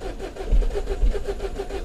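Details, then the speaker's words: 2012 Mini Cooper 1.6 manual with new fuel pump, code 002BFA high-pressure fuel low, rail pressure about 21 psi, fuel line dry: steady cranking about seven beats a second that never catches, crank no start from no fuel pressure. "it says we got fuel but I don't think we have any fuel coming up"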